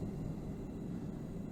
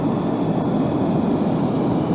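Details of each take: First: Gas forge burner at low gas pressure with the air slide tube closed off; soft, steady, low rumbling roar with no sharp hiss, flames longer: a very rich burn. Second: there's a nice neutral flame there's a little bit of dragon's death coming out there's plenty of gas pressure going in in order to heat the piece up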